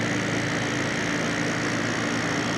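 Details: December 1995 Carrier VisionAire 6050 BTU 6 A window A/C after hose clean-out, rear fan freshly oiled and its clip off, just started: steady airy rush over smooth hum, no squeal or scraping; normal running.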